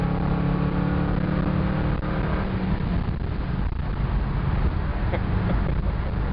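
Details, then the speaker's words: Ford 302 V8 wagon with carburetor being calibrated for power mode, second wide-open-throttle run from the start: deep V8 roar holds strong and keeps pulling with no surging, stumbling or misfire; healthy full-throttle acceleration. "All right, that felt pretty good. It kept pulling. Kept pulling."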